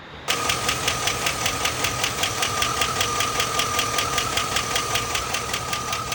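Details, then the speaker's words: 2001 Chevrolet Silverado V8 at idle: sharp, fast, even ticking from the top of the engine; owner suspects a stuck lifter, not confirmed, before trying Seafoam treatment. "okay it sounds like a stuck leg lifter but I'd rather not I hope that's not what the case is but if it is it is okay"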